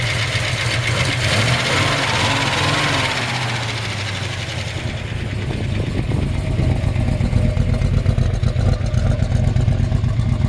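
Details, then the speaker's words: 1970 Chevrolet C-10 with mild-built 454 big block, roller rockers, Holley-type carb, cold-natured: lumpy idle with light, quick solid-lifter ticking over the exhaust rumble; normal solid lifter clatter. "it does have roller rockers you can hear the clicking of solid lifters"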